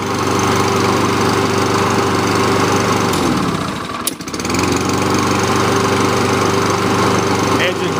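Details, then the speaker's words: Kohler Courage engine on a Lawn-Boy mower after service with a new carburetor, started in one pull: steady, even drone with one brief dip midway; runs smoothly and sounds healthy. "nice and smooth so the engine has a test right there"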